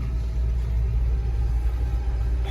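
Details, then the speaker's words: Telehandler climbing a hill with full throttle at about 2,000 rpm: deep steady drone under load, no stalling or sluggishness; earlier stalling and no-start blamed on bad fuel pump. "so I just climbed all the way up that hill with a foot on the gas the whole way about 2,000 RPM and I never stalled never even got sluggish"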